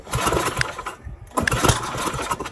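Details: Tecumseh Snow King snowblower stored all summer with fuel and oil drained, primed with a few more squirts after a brief firing: a few pulls give choppy bursts, then the single cylinder catches and runs; normal start.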